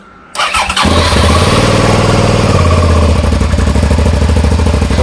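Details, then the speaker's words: Suzuki SV650 V-twin, fresh oil, cold start without choke and a sticky throttle: catches instantly, lumpy loud twin idle steady for a cold engine; normal cold start. "no choke it's quite cold that's what it sounds like throttle's a bit sticky again so it's still a bit wet from yesterday"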